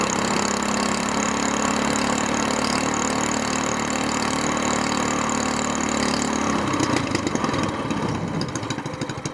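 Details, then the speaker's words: SPS Longtail mud motor, freshly built and still cold, just after its first oil change following a 3-hour break-in, now on 10w-30 Royal Purple synthetic with 2 oz BestLine. A steady, even single-cylinder idle, then a quick rev rising cleanly without stumbling; it revs smoother and runs normally. "yeah just seems to be revving a little bit smoother"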